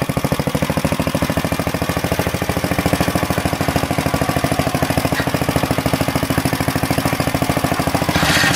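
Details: Planet Jr. Model B walk-behind tractor with air cleaner and elbow refitted, driving it up the hill: steady, even single-cylinder chugging at constant speed, no misses or knocks. Governor works; normal running.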